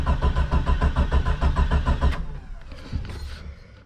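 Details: Early-90s Jeep Cherokee XJ unrun for four or five years; steady starter churning at about three or four beats per second, engine never catches, then cranking stops; oil pressure shows, volt gauge not working, fuel pressure unknown; crank no start.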